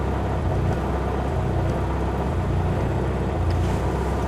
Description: EVO MR RS rough idle